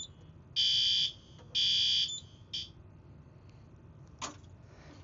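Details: Yearly fire alarm system test, pull station on the panel: two sharp one-second high-pitched alarm blasts about a second apart, steady tone in a quiet room, panel alarm signalling after pull-station activation.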